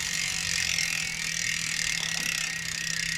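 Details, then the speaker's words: Shimano 11-speed rear derailleur after replacement: continuous gritty rasp as the upper pulley, set too close by the B-screw, rubs the cassette. Derailleur pulley rubbing cassette. "So when you hear that grinding, to me, that tells me that we are not there yet."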